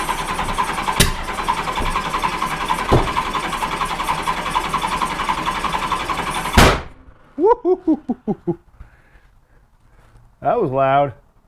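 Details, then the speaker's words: 1986 Honda Goldwing GL1200: starter cranks about six seconds without catching, then one sharp loud bang. No-start. "well guys it doesn't start don't tell the guy at the beginning of the video that it doesn't start"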